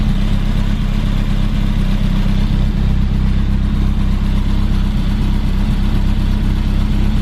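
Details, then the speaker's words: 1988 BMW E30 M3 after a cold start following 6 months sitting: loud, deep, steady exhaust burble at an even cold idle, no knocks or misses. Normal cold idle. "All seems well. It's got a really loud exhaust, but it sounds good."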